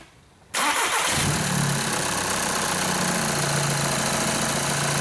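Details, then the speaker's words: 2011 VW Jetta 2.0 TDI diesel after no-start repair for low fuel pressure codes, fuel pump supply activation run: quick crank, clean catch, smooth steady idle with no stumbling or hunting; normal start and idle, road test fine, no check engine light. "I just got back from the road test on this 2011 Jetta and everything ran good no check engine light popped on or"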